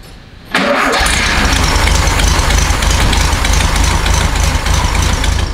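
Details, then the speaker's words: 1969 VW Beetle after its spark plugs were replaced with the correct ones, gapped, replacing NGKs. It catches and settles into a steady, even, smooth idle with no misses or smoke, choke partly on at first; normal running. "so much better absolutely much better the first part of the choke was still on but now running nice and smooth"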